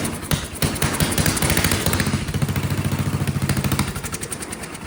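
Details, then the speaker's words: Vintage Kohler motorhome generator, big flathead single estimated at 400–500 cc, first start with the gravity-fed bowl filled and choke held: fires unevenly, speed swelling and dropping every second or so; surging, owner suspects carburetor or fuel delivery. "Okay, so it probably still has carburetor problems because it's surging. But it ran. Boy, ran quite violently."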